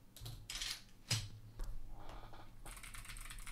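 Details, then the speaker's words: Ajazz AC081 CNC aluminum gasket-mount hotswap keyboard, stock clicky switches; uneven bursts of sharp, bright clicks, about two keystrokes a second, crisp high snaps: clicky switches working normally. "oh baby oh my goodness we got some clicky switches today wow that is uh that is horrific"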